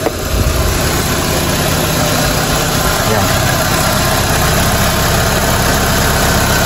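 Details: Lancer 4G92 after the loose drive belt adjuster was fixed: steady, even idle hum with no belt squeal, belt correctly tensioned.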